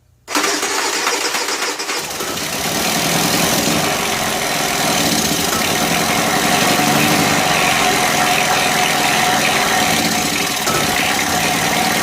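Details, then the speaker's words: Honda EU3000is generator after valve adjustment and sediment bowl cleaning, exhaust refitted with old gaskets after being noisy: starts with choke on first key turn and settles into a steady, even hum. "And I'm going to fire it up and see how it runs and let it run for a little bit, which I haven't, done because it's been so noisy."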